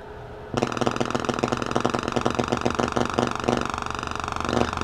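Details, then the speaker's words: Audio amplifier on a 25.2 V center-tapped 2 A transformer with full-wave bridge and filter caps, sine sweep: tone turns harsh and buzzy; clipping as load pulls the supply rail down, possibly below operating voltage; uncertain. "and we're obviously clipping and as there's power drawn on the rail it pulls it down more"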